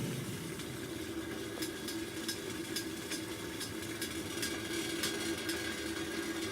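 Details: Primus Classic Trail Stove model 2243, gas cylinder, turned down to low after a boil test: steady soft hissing roar with no sputter or flutter; even, healthy burner flame.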